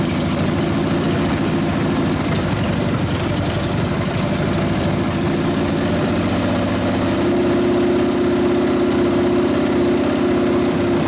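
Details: 1999 Harley 80ci Evo rigid-frame bike, running after low-speed jet raised to 29.5, pipe warming up: loping uneven idle that wanders, then settles steadier and higher; idle mixture screw around 1.5–2 turns. Dirty carburetor cleaning itself out suspected.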